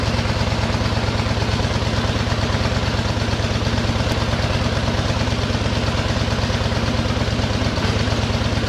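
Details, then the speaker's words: 1913 Harley-Davidson single-cylinder motorcycle, just started: crisp, perfectly regular beat at about two firings per second with no rattles or knocks. Tight, healthy motor; normal running. "boy that motor sounds good in that machine wow whoops wow that is something does that sound good it's it's just there ain't a noise in it it just sounds like a good tight little motor"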